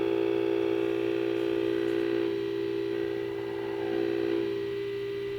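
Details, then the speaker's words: Tube radio receiver (12SA7 converter) during IF alignment, listened to with a signal-generator test tone at very high gain: steady mid-pitched tone with a faint unsteady ring, slight IF-stage oscillation caused by too much gain. "so you can hear we're getting a bit of oscillation in there because we have so much gain"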